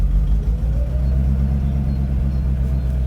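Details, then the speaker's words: Mercedes-Benz R107 380SL V8 at idle, after replacing distributor cap and rotor arm to cure cutting out when shifting gears at idle: deep steady burble, slight note change shifting park/drive/neutral, no stumbling or cutting out; runs smoother, normal idle. "It does sound so much smoother. More so when the engine was warm."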